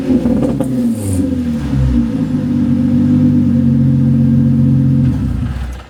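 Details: Nissan 350Z with a roughly stock exhaust and the muffler disconnected, before used mufflers are fitted: loud raspy unmuffled drone that swells with revs and falls back; exhaust leak at the disconnected muffler.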